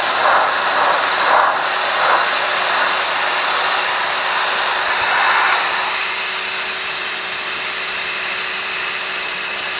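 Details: Clean Force 1400 psi electric pressure washer salvaged from the trash, spraying: steady hiss of water spray over an even motor drone, no surging or stutter; pumping normally.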